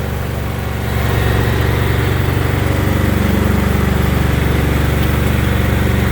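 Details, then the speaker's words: Replacement Briggs & Stratton single-cylinder engine, restarted after it failed to start the day before, drive pulleys recently changed, with the brake released: an even, steady thump under light load. Normal running while breaking in. "putting a little bit of load on the engine breaker in"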